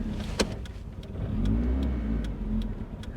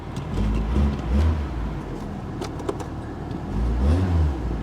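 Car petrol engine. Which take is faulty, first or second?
first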